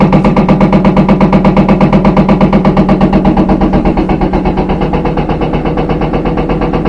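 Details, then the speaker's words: Empty front-loader washer on high-speed spin bangs rhythmically, nearly three thumps a second, from the back: a worn rear tub bearing letting the basket shaft play; noise may fade at certain rpm, worse with clothes. "usually when it gets up to high speed is when you really notice it especially if you have some some clothing in there you get this banging sound"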